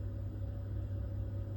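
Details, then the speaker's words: Boiler lit by manually riding the two-port valve micro switch, heating and hot water off: steady low burner rumble with no clicks, bangs or roughness; boiler fires normally, fault suspected in external controls, hot water valve possibly faulty. "So I'm proving that the boiler's working fine."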